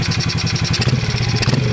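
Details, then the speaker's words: Modified 2003 Honda XR50 pit bike after carburetor adjustment, engine still cold: crisp, even revs climbing and falling without stumbling, and no smoke. Running much better. "wow that's so much better"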